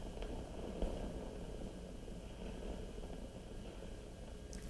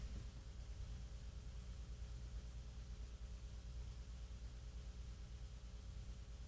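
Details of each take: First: 1940s RCA CR-88 tube receiver after mica capacitor and RF-stage resistor replacement, probing the mixer cathode, which has very low voltage across it: low uneven rumble with scattered crackles, a noisy component. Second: 1940s RCA CR-88 receiver after replacing the mica capacitors and RF-stage resistors, checked component by component. There is only a steady low mains line hum with faint hiss, no crackle, so the component is quiet.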